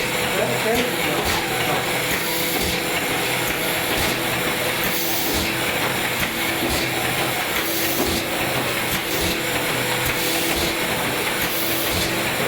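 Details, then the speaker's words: AccuCreaser air-fed machine in crease mode with under-250 mm sheets (trifold), after measuring a single sheet: steady pump hiss with an even feed clatter repeating under a second apart; cycling smoothly, normal operation. "Send a single sheet through so that the machine measures it. Press accept, and then run and feed."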